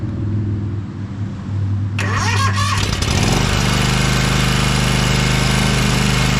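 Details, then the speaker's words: 2012 Toro Timecutter SS 5000 zero-turn twin after fixing the rockers and setting the valves to about 6 thou: it catches after a short crank and runs a steady, even beat on both cylinders, smoking from the long-idle side; normal running. "we got two cylinders guys I bet this thing is going to mow great"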